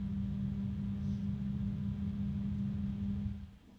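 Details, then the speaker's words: AmRunJe 12025x2S-USB dual-fan cooling unit with grills on both sides: noisy steady low hum with a clear tone near 200 Hz that fades at the end, likely the two side-by-side fans beating against each other; fan hum. "so we're going to listen to it little bit noisy with a a hum I think some people might find that a bit unpleasant"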